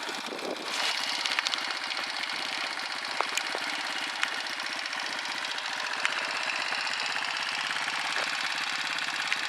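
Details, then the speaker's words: Rieju MRT Pro two-stroke motorcycle idling with its exhaust: busy, crackly idle with a sharp metallic rasp and a few loose ticks, partly from a rattling spring; a rough but even open-pipe idle, considered normal. "Donc voilà le son du pot, un joli son je trouve, pas trop mal."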